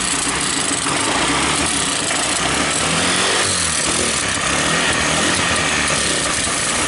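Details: Honda scooter running with a loose, uneven beat that won't settle; a small spring and spacer were left out of the clutch cover and are being refitted: unstable, surging idle.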